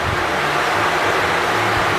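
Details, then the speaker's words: Brand-new engine's first fire-up at a fast idle, with the fan running and no electric water pump: a steady, even roar with fan rush over it. Normal running. "Ignition is on. We have fire. She's a brand new motor, so I got to get a little gas down in there."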